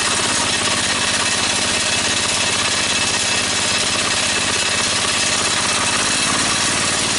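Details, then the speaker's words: DC generator engine at 1100 RPM (1300 maximum) under about a 4,000 W system load, output reading 141: a loud, steady drone with a hard, even beat and no surging. The engine is labouring under heavy load. "okay so with about a 4,000 watt strain on the whole system we're putting out at 141 out it's it's 1100 RPM and I'm pretty pleased with it"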